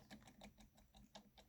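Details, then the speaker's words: 3D-printed maglev with smaller ring magnets, brass rod not yet fitted: faint regular knocking about six or seven per second as the rotor spins; clunking, suspected off angle and pushing too hard. "you hear that this weird clunking and i don't know what that's from i don't i don't know what's causing that"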